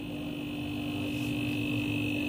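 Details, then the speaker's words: Refrigerator compressor that had only clicked without running, after its overload protector was replaced. Quiet, even hum with no clicking, drawing about 1.0–1.1 A. Normal compressor operation. "ini dia akan berjalan dengan normal ampere 1,0 Hai dengerin dengerin ya"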